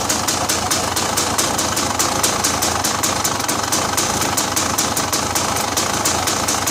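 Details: Motorcycle engine idling steadily after an exhaust leak was fixed (a bolt fell out, everything resealed): quick, even ticking rhythm with no puffing or popping from the exhaust; normal idle.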